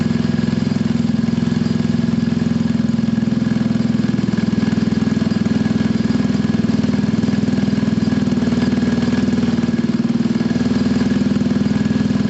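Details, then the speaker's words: Scooter from a Gilera DNA 125 / Pulse Force 50cc project (which one is not stated), warming up, automatic choke possibly still on: steady, even idle with a smooth regular beat, no misses or knocks; owner says running is spot on, idle adjustable. "You can hear it, guys, it's absolutely spot on. There's no issues at all with that running."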